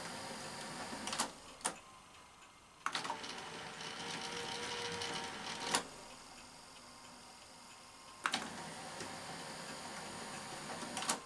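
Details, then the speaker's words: Sanyo VTC-MH5 Japanese NTSC Beta Hi-fi VCR after power supply repair, lacing a tape: quiet even motor whirr with sharp mechanism clicks; motors now at sensible speed, normal tape transport. "yes those motors are running at a much more sensible speed aren't they"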